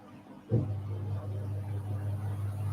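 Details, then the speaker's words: Simpson Esprit 550 washer (serviced after a minor spin fault), timer on extra spin increment before warm spray rinse: motor kicks in then holds a steady, even low hum as drum spins; normal healthy spin cycle. "And this is that extra increment I was talking about, so more spin."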